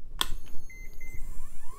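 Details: Early-to-mid-2000s Medion system, tested at power-on: a sharp click, then four quick high POST error beeps as the board reports an error code at startup.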